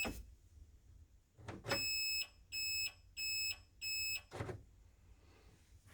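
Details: Renault Spider, which has no indicator self-cancel: a newly installed indicator tell-tale speaker, tested after installation. A clean high beep repeats about four times at an even pace. The indicator reminder buzzer works properly.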